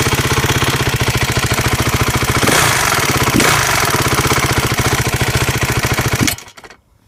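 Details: 2012 Honda CRF250 idling with a fast, steady light ticking over the single-cylinder beat until it cuts off; ticking top end, cause not yet found.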